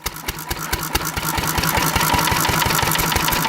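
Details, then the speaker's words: Antique stationary engine running on an increasing Sea Foam-to-gasoline mix, with the mixture screw about 30% richer than for gasoline. Slow thudding beats, about three a second, with uneven gaps and dropped strokes; it starts misfiring as Sea Foam rises, puffing white smoke. "it's starting to miss as there's more and more seafoam unless less guests"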